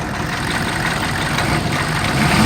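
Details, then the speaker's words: 2002 Chevy 3500 utility truck, 6.5L diesel, automatic, 110,468 miles, warm after 45 minutes running: revs up cleanly in pitch and loudness, smooth and even, no knocking; idle smooth, engine healthy. "revs up nice idle smooth"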